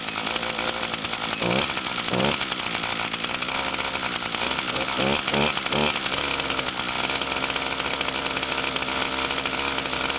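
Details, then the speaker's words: 2011 Echo PAS 230, 22.8cc two-stroke, still breaking in and hard starting, running cold on a 92°F day: a high, buzzy note holds steady and even with no misses or hunting, so it is running normally. "and there's the Pas 230 running yeah she's cold"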